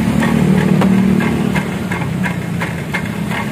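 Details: Honda Vario with original exhaust, no modifications yet; small engine idling with a buzzy metallic rattle on each exhaust pulse, felt as vibration while riding, from a broken, corroded baffle inside the muffler.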